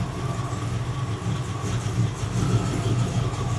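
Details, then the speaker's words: 1979 Porsche 928 V8 with a choppy idle misfire: the idle runs low and uneven while one cylinder is shorted with a test light, then firms up and speeds back up when released, showing that cylinder contributes. "You can hear that it sped back up after I got off of that one. So, it made a difference."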